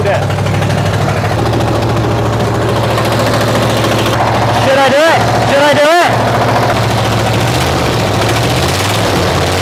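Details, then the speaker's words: Chevrolet Nova idles very loud and raspy with a rapid puffing beat about three per second; a bolt poked a hole in the exhaust manifold, and the engine is still knocking underneath. "that loud sound is because this bolt this bolt poked a hole in my exhaust manifold but the engine's so loud now you could probably not ever hear it knocking"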